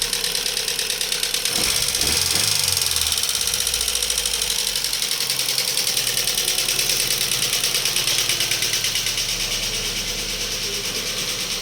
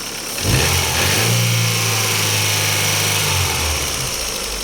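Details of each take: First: Daewoo Lanos petrol engine idling: sharp steady valvetrain tick about three times a second from hydraulic lifters, persisting after owner replaced them; a plug had fallen out of the oil channel, so oil pressure wasn't reaching the lifters. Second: Daewoo Lanos petrol engine after repair: a fallen-out oil gallery plug was starving the hydraulic lifters of oil pressure, four rockers replaced; first start idles and revs smoothly with no lifter tick.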